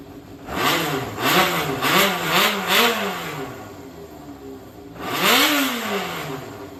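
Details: Yamaha XJR400 (4HM) inline-four complete engine assembly, compression tested, no abnormal noise or white smoke; quick clean throttle blips rise and fall smoothly, revs freely with no knock or rattle; healthy.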